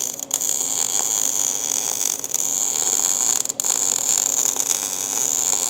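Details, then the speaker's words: MIG welding a heavy-wall roll bar tube for a 1956/57 tunnel buggy, with the welder raised to about 18-6 and more wire speed: a steady, crisp frying sizzle with no popping or sputter. Heat and wire speed are set right for a hot weld. "hear how like more sizzling it is and less like feedback and popping it's almost like a softer sound when it's really hot"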